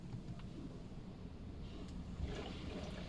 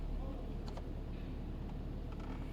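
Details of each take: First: 2019 Toyota Camry: soft low gurgling and trickling like waves of water behind the dashboard when AC or blower is switched on; coolant bypass valve is the cause. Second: 2019 Toyota Camry, AC on after unplugging the bypass valve connector: low even engine hum, no gurgling or water sloshing behind dashboard; dashboard water noise with AC on attributed to the bypass valve; normal HVAC operation.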